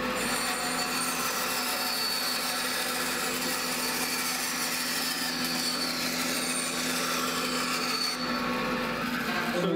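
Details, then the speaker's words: Bandsaw cutting a thick piece of oak: even, continuous rasping cut with no squeal, screech or clicking; normal cut. "Even though it's the same saw, it sounds different depending on what it's cutting."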